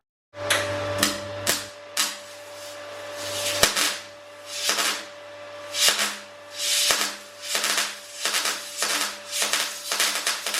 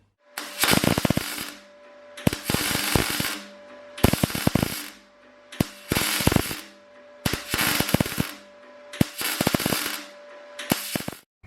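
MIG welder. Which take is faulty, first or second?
first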